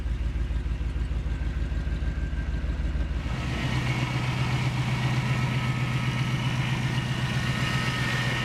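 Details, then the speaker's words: 1991 Chevy 454 SS, 7.4 L V8 replacement engine, good oil pressure: even, lumpy V8 idle then a smooth pitch rise when revved, no knocks or ticks; makes really good noises, normal running. "stick around the road for a little Buddha Rooney if nothing else it makes really good noises"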